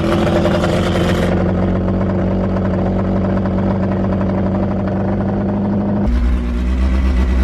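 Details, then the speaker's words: Forged Toyota 5E-FE rebuilt engine with big camshafts, first start-up with a hollow dummy gearbox and a stress-cracked flywheel bolted on; strong, steady, lumpy low idle rumble, loud but clean, healthy. "Big cams that are in the back here make the engine so much more louder than the front."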